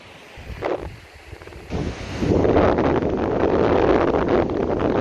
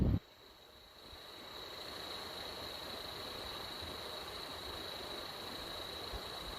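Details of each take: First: PS3 Slim cooling fan, left microphone, demonstrating air noise as opposed to bearing noise; after a brief handling bump, a steady even rush of air with no bearing tick or rattle, normal fan airflow noise. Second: PS3 Slim fan run on a bench supply at about 6 volts: steady airy hiss, a thin high whine and a faint rough scratchy grain from the bearings scratching.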